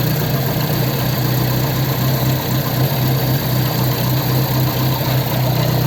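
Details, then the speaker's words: Ford 100E engine after repairing the fuel pump; now charging without touching the dynamo. Steady, even low idle with a smooth pulse and no misses or knocks: normal idle. "bit of tinkering there repaired the fuel pump fiddled about with that and made it start charging"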